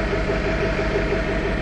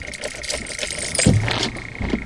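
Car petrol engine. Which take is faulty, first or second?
first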